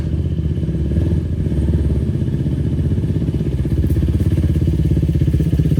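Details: 2004 Yamaha YFZ450 quad after sitting, carburetor cleaned for a clogged pilot jet and new ignition fitted, on a freshly hooked-up battery: steady single-cylinder thumping holding speed cleanly without stumbling or dying; fan kicks on, not overheating. Normal running.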